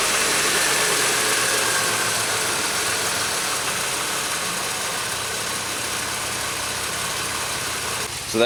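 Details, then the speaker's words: 2003 Pontiac Grand Am GT coupe with weak two-year-old battery, cold day: engine runs, then dips and struggles with an uneven, labouring note; the owner suspects repeated weak starts may be burning the starter solenoid. "the starter of course with this battery apparently being so weak each time i try to start the car it's probably burning up a solenoid or something in the starter"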